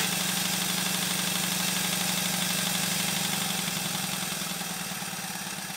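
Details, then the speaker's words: Small showman's engine model test run on compressed air after fitting a new flywheel centre fitting: even, regular chuffing about three beats a second with a light steady click from the mechanical lubricator ratchet; runs smoothly. "I'd better mention that the click you can hear is the ratchet of the mechanical lubricator"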